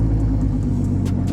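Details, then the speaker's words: 2017 Mustang 3.7L V6, first start with the hood closed after fitting one-step-colder NGK spark plugs: a steady low rumble with a slight hunt as the idle adjusts and relearns. Normal idle. "oh yeah you can hear her adjusting for sure she was not used to those new spark plugs"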